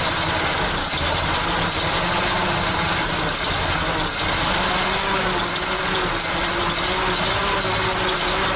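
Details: ZIL crane truck petrol engine started after 20 years standing, fresh petrol: rough but continuous idle with a steady low throb and plenty of clatter; it caught and keeps running.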